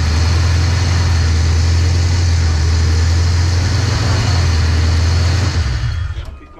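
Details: 331 stroker V8 in a GT, running again after a failed brand-new MSD part left it with no spark; strong, steady, lumpy low rumble with an even beat before shutdown, running healthy.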